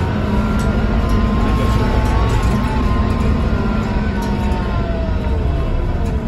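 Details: 2009 Scania K230UB bus with Scania DC9-16-230 diesel and ZF Ecomat 4 6HP504C gearbox, Salvador Caetano City Gold body, recorded on board under way: steady low diesel drone with faint wavering whistle tones; abnormal engine noise, cause unclear.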